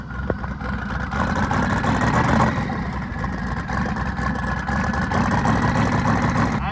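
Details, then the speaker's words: Twin-turbo LS-swapped first-gen Camaro after a tune mistake, rolling to the line: lumpy, uneven tractor-like stumbling idle from misfire; loose throttle body and lean 16.8 AFR also found while tracing the issue. "you can tell it sounds like a full-on tractor right now"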